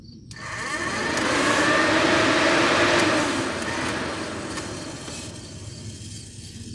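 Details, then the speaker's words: 1985 Merkur XR4Ti radiator cooling fan powered directly with 12 V from the battery, also run with reversed polarity. Smooth even whoosh and steady motor hum with no grinding or ticking; the fan works, so the fault lies in the wiring. Normal cooling fan motor operation. "it comes on you can hear it all right's change the polarity just to test"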